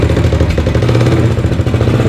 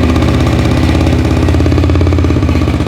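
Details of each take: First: Blue 300 four-wheeler, cold, after new carburetor (was running too rich, bogging) and head/valve cover off with timing chain adjusted: steady even single-cylinder idle with slight cold clatter, no stumbling; runs like a champ. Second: Four-wheeler single-cylinder first started after a full top-end rebuild and a timing chain fitted by guesswork; fast uneven ticking about four a second over the idle thump, a light top-end tick the owner suspects is a valve.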